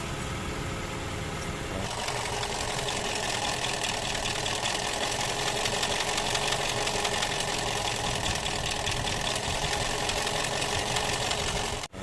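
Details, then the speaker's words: After engine refresh for heavy oil sludge (was knocking cold and when warm): steady, fine-grained idle with even fast patter and no heavy knock; engine now very quiet and smooth, normal idle. "Ayan na yung tunog niya. Sobrang tahimik na. Sobrang pino"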